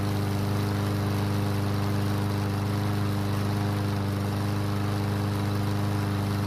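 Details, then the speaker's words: Yard Machine single-cylinder mower that would not start after winter storage, after repair with fresh gasoline: steady, even beat around 214 per minute with no misses or knocks. Light smoke and oil mist from the muffler, likely too much oil. Normal running. "So it started and ran, however, it's smoking lightly, and there's an oil mist coming from the muffler and landing on the deck."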